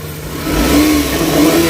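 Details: Suzuki Big Eye F6A fuel-injected engine, after fixing ECM low power, throttle delay and engine vibration: picks up cleanly from idle into a smooth rising rev with no stumble or hesitation; healthy.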